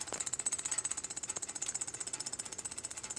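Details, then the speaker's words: Lawn tractor with an added electric fuel pump wired to the light switch, engine off: a fast, even ticking buzz of about four pulses a second as the pump primes before starting; working normally. "So I'll put it to the light accessory when I start the engine, so let it the fuel pump run for a second or two to get enough fuel in there to start."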